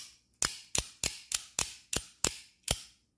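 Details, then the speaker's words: Automatic OTF spring knife (Joker Cupid style) after greasing its springs, eight crisp dry snaps dying away fast with no boing, twang or ring: clean spring action. "perfect no boings nothing"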